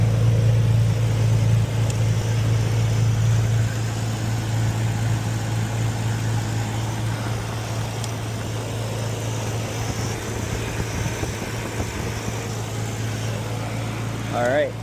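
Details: Nissan Stagea after replacing the front fuel line with SAE-rated line, started to check for leaks under pressure: steady even low idle hum with no stumble or surging; no fuel leaks.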